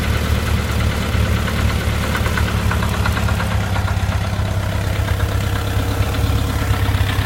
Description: Random knocking sound at idle, only when engine is warm. Sound disappears above idle. Could be loose cam gear, loose hydraulic lifter in engine case bore.